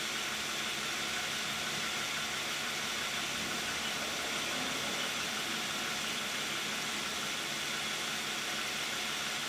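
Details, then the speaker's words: 2010 Toyota Camry 3.5 V6, 93,000 miles, Pennzoil Ultra 5W-30 synthetic with Wix filter, idling with climate control on: smooth, steady rush over soft, even engine hum, no ticks or knocks; normal idle. "Now we're gonna hear it with the hood closed, like normal people would hear it. Thank you. I think it sounds pretty quiet."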